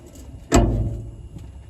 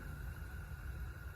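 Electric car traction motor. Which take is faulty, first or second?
first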